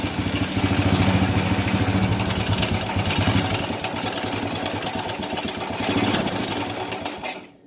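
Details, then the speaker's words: Honda Supra Fit New motorcycle running with heavy exhaust smoke: coarse, uneven, rattly and very noisy engine clatter at idle. Rough engine sound recorded before the front half of the engine is taken apart. "Jadi suara mesinnya itu sudah sangat kasar sekali."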